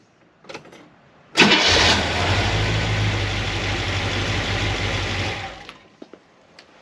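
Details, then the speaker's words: 1976 Corvette V8 idling cold (just over 100°) after fixing binding roller rocker trunnions and replacing valve stem seals: smooth, even rumble with no top-end ticking; the loud racket is gone and it runs normally. "ah man it's not supposed to make a loud racket this sounds way better it's still not even warmed up"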